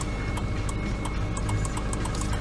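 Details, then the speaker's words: 2001 Subaru Outback 5-speed, 190,563 miles, blown head gaskets, cold start on a chilly December morning: the left turn signal glitches and keeps flashing, with crisp ticks about three per second over a low idle that never stop. "You see that left turn signal? That thing has some glitch going on with it. Always doing the left signal."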